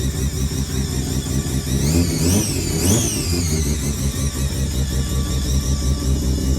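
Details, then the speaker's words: Mazda 323 with Bridgeport-ported turbo 13B rotary, replacement ECU, after a lot of fuel was removed from the maps: runs steady and fairly even with blips and a clean return to idle. Still a bit smoky pending a proper tune; loud fuel pumps. "s Smoky a bit but the trune will be able to sort all of this yeah it sounded pretty decent there"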